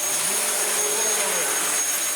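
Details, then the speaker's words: Dyson vacuum, one of several rescued units, running: a smooth, even high-pitched whir with a steady tone and no surging or rattles; the motor runs normally, though the brushroll is slightly dodgy and needed flicking to engage. "That sounds happy. Marvellous. Bar the slightly dodgy brush roll, that works alright."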